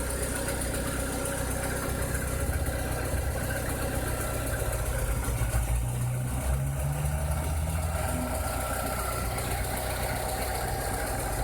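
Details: 2006–2007 VW SpaceFox engine at idle with a strange noise: a faint irregular knock of roughly three a second rides on the steady low idle; source unclear.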